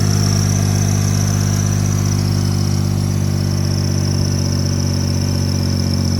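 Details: 2005 Toyota Highlander after starting with the starter relay ground supplied manually: steady, even run, smooth low drone, no misses or knocks; safety neutral switch circuit suspected as the no-crank cause.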